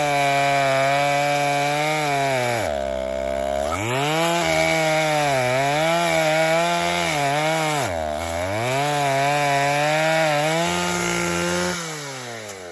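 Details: Vintage 1960s Stihl 08S chainsaw, about 60 cc two-stroke, cutting firewood before high-speed screw richened 1/8 turn; screams at full throttle and sags in each cut, sharp thin note; owner thinks it needs more fuel; lean high-speed mixture.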